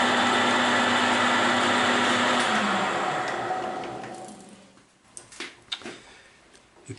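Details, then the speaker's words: Boring bar machining old railroad switch parts for reuse. A harsh cutting hiss shifts pitch partway through, then fades to light clinks. Boring bar chatter over a hard spot in the metal. "can clearly hear the hard spot here in. But it is what it is."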